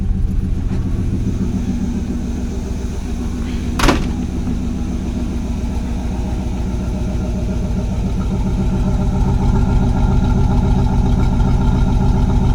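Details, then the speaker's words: Cold start below 30 °F, chokeless Chinese 4-barrel carburetor, no fast idle, started in three tries; off the throttle it idles steadily around 850 rpm with no stumbling; normal cold idle. "Without accelerating, it's idling at 850 plus or minus. No choke."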